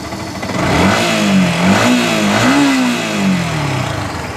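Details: Yamaha R15 that was cutting out while running above about 30 km/h, after throttle body cleaning and air screw adjustment: picks up cleanly through several blips, pitch rising and falling smoothly and settling without hunting; healthy.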